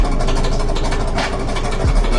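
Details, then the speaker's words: Whirlpool dryer running: loud, steady low rumble, unhealthy sound from a drum support roller with a worn bearing. "the noise there. This dryer doesn't sound too healthy."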